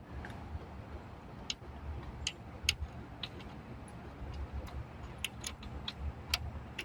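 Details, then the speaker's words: July 1998 2G DSM (Bosch metal block under the car): irregular sharp clicking, several per second over quiet engine rumble, heard after loosening a ground while chasing lighting faults; source suspected to be the Bosch block, likely relay chatter from poor ground. "Where's that clicking coming from? Why is there clicking down there?"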